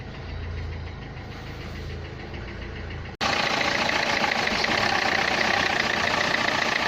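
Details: Renault Clio 3 1.5 dCi 105 hp idling diesel: sharp even ticking knock, three to four per second, over the clatter; noise pointed to the injectors.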